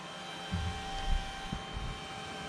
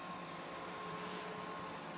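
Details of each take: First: Firebox X5500e firewall with an original stock cooling fan: a constant airy whir with a fixed tone, a small cooling fan running noticeably loud. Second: Firebox X5500e firewall after swapping its loud stock fans for Noctua fans: very soft, even airflow hush with a faint steady tone, no rattle or roar; much quieter, almost silent, normal fan operation.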